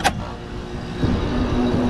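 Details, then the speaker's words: Split-system heat pump with 410A refrigerant, started after defrosting a frozen evaporator coil and fitting clean filters, new contactors and new capacitors: short clack, then a steady low hum holds even as the compressor starts smoothly with no struggle. "all right compressor started this is refrigerant 410a let's give this a couple minutes so the pressures can balance out"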